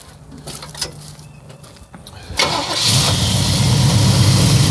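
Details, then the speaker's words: 1962 Chevrolet Impala, unrestored, cold start: a couple of starter turns, fires right up at once and settles into a steady, even idle; normal healthy cold start. "As you can hear, it fired right up."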